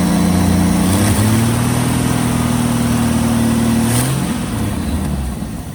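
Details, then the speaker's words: 1988 Jeep Wrangler YJ 4.2L AMC 258 straight six with Carter BBD carburetor, warming up after ignition tune-up and air filter issue: idle sags and stumbles twice before settling; hesitation, vacuum being checked. "Something with the air filter was causing it, but now it's got a little bit of a hesitation."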